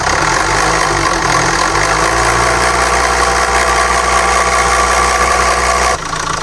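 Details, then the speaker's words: SAIC Maxus G10 with a Yunnei 1.9T diesel at 130,000 km, held at raised revs, has shaking, weak acceleration and a busy metallic rattle from the timing front cover, not the injectors; teardown found stretched timing chains and worn chain plates, which were replaced. "不是喷油嘴发出来的。经过我们初步判断，这个异响是正时前盖这边发出来的。"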